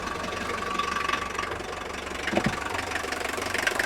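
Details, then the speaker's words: Mercedes naturally aspirated four-cylinder diesel, 129,000 miles, well maintained, just started: light, steady, even clatter at idle, no deep knock or grinding; the typical old diesel idle rattle, normal. "the clatter of an old four-cylinder normally aspirated diesel engine by mercedes-benz i mean i had a 170d once 1951 you know rattled even more than this one so it has that typical rattle of idle"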